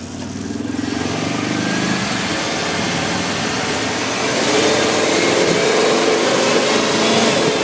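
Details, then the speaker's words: 1994 Ford E-150 351 V8 revving with uneven, wavering roar and hesitations; stutters at idle, worse under heavy load, runs hot. Cap, rotor, PCM, ignition module, plugs, wires, hoses, thermostat replaced; cracked fuel vapor hose suspected vacuum leak; air-fuel/spark issue suspected. "RPMs it's definitely having some sort of air fuel spark issue"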